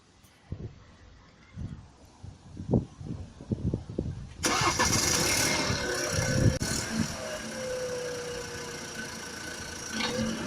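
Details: BMW F30 with a B38 petrol engine, cold start after long parking in cold weather: a busy, rattly clatter over the fast idle. The rattle comes on shortly after starting and then disappears.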